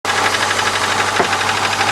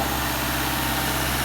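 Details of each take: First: Subaru boxer engine: a loose, uneven knocking about three times a second rides over the idle. It comes from the worn timing belt idler pulley, which has been hitting the metal, not from the engine itself. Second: Subaru boxer engine after timing belt work with the marks aligned: a smooth, quiet, even hum at idle with no knocks or ticks. Healthy after repair.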